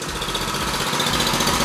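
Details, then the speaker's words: Dayton Professional Duty 4000 W gas generator, just revived after a no-start fix: even, steady idle with a regular fast beat, no misses or surging. "that's it there she is she's running the generator lives again"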